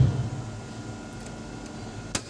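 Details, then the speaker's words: BCH (BCH/Shakti) DOL three-phase starter contactor, energized after cleaning carbon off the contact faces: quiet, with only a faint steady low hum and the earlier buzzing noise gone. "दोस्तों, आवाज बंद हो गई। गया। अभी carbon को साफ के माध्यम से व्यास।"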